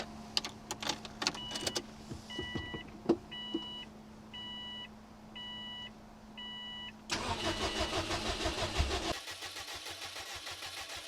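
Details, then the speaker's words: Swapped-in Subaru EJ205 engine, first start on a new battery after the old one failed even with a charger: a few chimes, a short crank, then it catches quickly and settles into a steady idle; normal start. "the old battery just wasn't cutting it even with the charger hooked up so let's go ahead and see if it cranks over"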